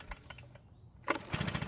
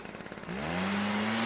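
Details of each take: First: Stihl backpack blower two-stroke, no primer bulb, choked, with old fuel from garage sale; two brisk rope pulls spin it over but it never fires or sputters, stale fuel suspected. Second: Stihl backpack blower that would not start, after turning the carburetor H screw a quarter turn counterclockwise for a richer mixture: a few quick pulls, then it catches and holds a steady, clean high tone; normal running.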